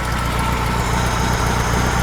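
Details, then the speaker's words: Freshly built high-performance VW flat-four for a Baja Bug, running at the builder's shop, still cold, 50 psi oil pressure at idle: steady, even idle with smooth low rumble, no knocks or misses; runs far better than the worn old engine; normal idle. "so it's boy what a difference you can you can hear how well it runs too as compared Locker there"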